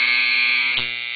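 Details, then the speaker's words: Andis T-Outliner clipper with the arm set too close to the magnet: loud harsh buzzing chatter as the moving arm strikes the magnet; the fix is to loosen the nut and move the arm slightly away. "the motor's running loud and that loud vibration is from the mo this moving arm hitting the magnetic motor and that chattering sound you"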